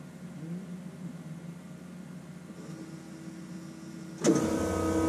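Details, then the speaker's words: 1988 Ford F150 after repairing a ruptured plastic fuel line above the tank: key cycled about five times, faint steady electric whine of the fuel pump priming then louder motor hum; no leaks or fuel smell, normal operation. "i cycled the key about five times or yeah i think about five times i'm sure you could hear the pump whining"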